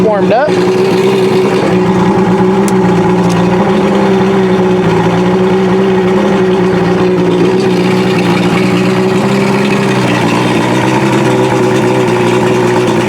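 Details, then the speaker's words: Outboard engine cooled with running water to mimic lake conditions on a hot day, restarted with fast idle raised and choke/primer held in; it now starts without trouble and runs a steady, even, smooth low drone while still warming up; normal idle. "it's still warming up a little bit but as you can see it's now starting with no problem"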